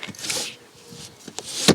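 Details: Alfa Romeo 159 rear window regulator failing: brief whir and scrape, then a sharp loud clunk as the glass drops out of its track; the car is also still running badly, idling poorly when warm.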